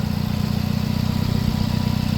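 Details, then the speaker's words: 2013 Nissan Cube four-cylinder at idle after a morning start, with maintenance records and a new head gasket. A smooth, low, even idle pulse with no misses, ticks or knocks. Running as it should. "Sounds like it's doing what it's supposed to be doing."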